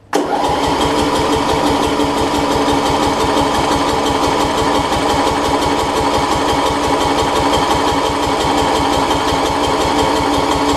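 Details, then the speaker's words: Murray rear-engine rider with two new batteries, ran the day before: starter turns the engine over in steady chugs for ten seconds without firing; owner suspects it is flooded. "they put any battery in it two brand new battery well that ran yesterday you ran yesterday I knew that let's see actually I honestly think it's flooded"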